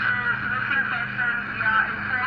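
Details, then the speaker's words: Radio that previously received no MW or FM stations, after repair and with a longer antenna wire: steady, clean FM broadcast audio, no crackle, hiss or dropouts; clear FM reception, fully fixed. "आप आवाज़ सुने, साफ़ आ रही है ना। तो ये radio मुकम्मल ठीक है।"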